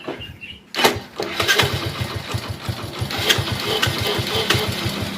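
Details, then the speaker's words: Hero HF Deluxe motorcycle after self-starter motor repair: quick, clean electric crank catching at once into an even single-cylinder idle with no starter noise; only timing-chain sound remains. "नहीं है बिल्कुल सही आवाज ए रही है कोई side में आवाज नहीं है"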